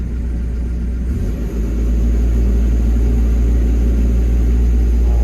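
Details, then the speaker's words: Develon diesel, after joystick plate adjustment: steady diesel rumble rising to a smooth, slightly higher auto idle with no knocks or misses; auto idle working, so the plate is not too tight. "So if we put the part lever up, auto idle appears to be working."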